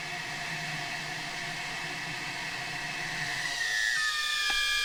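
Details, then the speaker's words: Audi 2.2 five-cylinder Bosch K-Jetronic with new injectors, tested out of the engine: a steady high whir rising in pitch as flow increases. The pitch differs at idle, half and full throttle, and all five spray identically. Healthy. "absolutely spot on and you can hear from them from the noise of them as well they have a different pitch at uh you know idle half throttle and full throttle"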